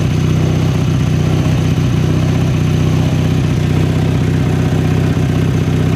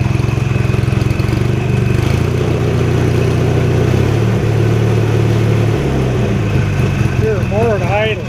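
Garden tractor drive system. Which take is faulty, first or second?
second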